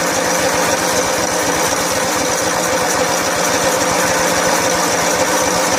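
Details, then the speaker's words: Snapper SR1433 rear-engine rider mower, sat 8 years, on choke: ragged, uneven chugging with hunting speed, no clean idle; rough running, fuel bowl leaking and dirt found in the carburetor, needing soaking. "Carburetor may require some soaking. See if we're getting any fuel in the fuel bowl. Yeah, there's a leaker."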